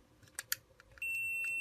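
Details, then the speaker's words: Fire alarm manual call point, multimeter continuity between terminals 1 and 2 as membrane is released and rearmed: faint clicks then clean steady high beep; circuit closed, contact has continuity. "Si je réarme, là si je fais clic, ça passe plus. Et j'enlève, ça passe. Ça passe plus, ça passe."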